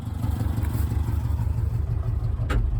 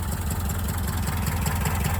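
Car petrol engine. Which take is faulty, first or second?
first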